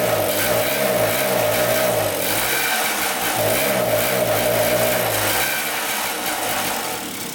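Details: 1974 Honda Elsinore MR50, a 50cc, surging as revs wander up and drop every second or two. Air-leak checks found nothing and cleaning the carb again didn't fix it; the owner suspects the carburetor.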